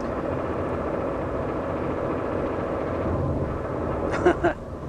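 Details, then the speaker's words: 2007 Mazda 2 1.5 L manual, driving at about 100 km/h: steady rear road roar resembling a wheel bearing, changing tone with each road surface change; points to feathered rear tyre rather than wheel bearing. "and another thing too another hint is the fact that the sound changes as we go over different types of bitumen on the road and you can obviously see that that is related more so to the tyre than the wheel bearing"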